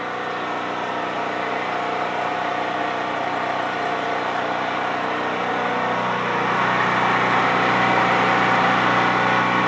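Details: Used Champion C46540 generator after tune-up (cleaning, oil change, new spark plug, oiled air filter), first start outdoors: steady even drone, no misfire or knock; normal running.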